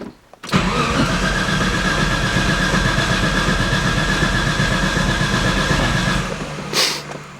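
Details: Nissan S13 RB20DET, first start attempt after fitting a new Ecumaster Classic ECU and new intake manifold gasket: the starter spins the engine evenly for about six seconds but it never fires. Cause unconfirmed; after ECU output checks (ox3/ox6) a retry started.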